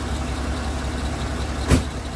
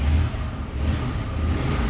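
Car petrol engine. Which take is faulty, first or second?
second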